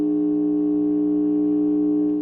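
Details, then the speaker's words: Godin Freeway guitar through a small 6-watt amp turned up to 8: steady low buzzy hum at constant pitch when hand nears the guitar; ground loop suspected though guitar seems properly grounded. "So when I bring the guitar, get my finger up, close, or I don't know if you can hear that hum, but it seems to hum right here."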